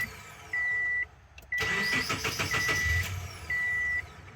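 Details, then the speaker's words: 2008 Subaru Forester after P0102 repair, codes cleared: starter cranks about 1.5 seconds before catching, then revs sag low and lumpy; hard start with low-rpm bog, expected to be fixed by throttle body cleaning and idle relearn. "so real quick i'm going to start it up and let you see this low rpm uh the engine kind of bogs when it starts"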